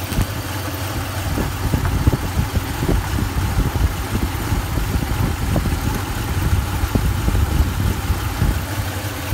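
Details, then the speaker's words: Toyota (Tundra/Sequoia/4Runner family) warmed up at idle during a fuel pressure test, camshaft sensor unplugged with P0340 code: low, uneven idle with irregular soft pulses. Fuel pressure gauge bouncing; owner suspects this causes the rough idle, not confirmed. "yeah it's still bouncing that could be indicative of something though if i'm getting that the fuel pressure is kind of kicking around maybe that's why i'm getting that broom broom"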